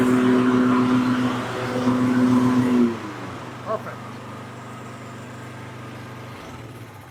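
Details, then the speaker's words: Toro TimeMaster mower after PTO belt replacement, test run before reinstalling cover; small engine runs steady even pitch about three seconds then winds down; running normally. "So, now that you got that all taken care of, everything's running good and looks good, you can reinstall"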